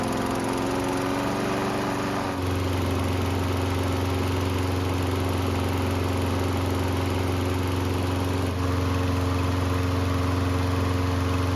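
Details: Used lawn mower after maintenance and part replacement, on a test run; steady, even single-cylinder drone at constant speed with no misses or knocks; runs smoothly, sounds healthy.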